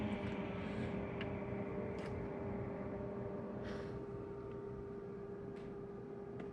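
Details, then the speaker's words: Kenmore fridge freezer fan that had seized, frozen with ice from backflowing water about a month earlier; steady low hum with constant tone and a few faint ticks, still working, possible damage uncertain. "may or may not have damaged it cuz it's still working as you can hear"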